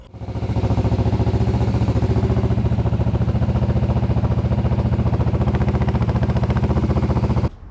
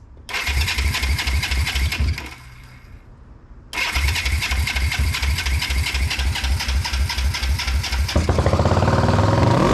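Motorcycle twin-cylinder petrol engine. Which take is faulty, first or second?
second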